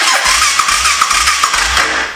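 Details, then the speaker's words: Honda 400EX quad, cranking with the starter: slow uneven chuff, only brief compression, never catches; gauge reads about 40 psi, but throttle wasn't blocked open during the test, so low compression unconfirmed. "We're only getting like 40 psi. Is the throttle open?"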